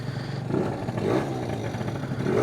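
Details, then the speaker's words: Warm Stage6 70cc Yamaha BWS two-stroke scooter on premix after a final tune-up: it picks up and drops back crisply through several blips, smooth and even, normal revving. "I think it's warm enough. It is revving clean."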